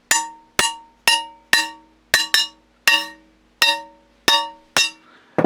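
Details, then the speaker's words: Double-barrel shotgun barrels tapped to check the rib solder: eleven taps ring clear like bells, but the last comes back dull and buzzy because the rib solder has let go at that point. "what that means is the soldering because it's dull the solder's let go we hear it buzzing it means there's no soldering the ribbing's just doing that that's why it's buzzing"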